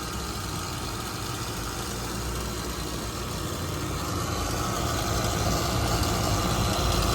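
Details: Carrier HVAC first-stage compressor, loud and drawing 14 A versus 11 A on an identical quiet unit, during oil treatment injection: steady rough rattle over the hum; sound changing and draw dropping below 11 A, still noisier than it should be.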